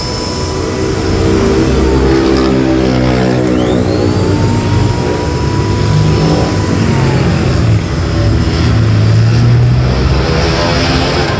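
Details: Electric wood planer after armature repair, tested under load: steady even motor roar with no stumbling, crackle or sparking; running smoothly and healthy.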